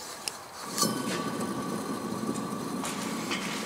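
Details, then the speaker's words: Hustler Z 72-inch XR7 mower deck, outside spindle spun by hand: rough, gritty rolling rumble with faint steady whine; spindle has play, likely worn spindle bearings. "when you spin it it does make some noise so theoretically you probably should need some bearings in there let's try this outside one it's got play I hope you can hear that"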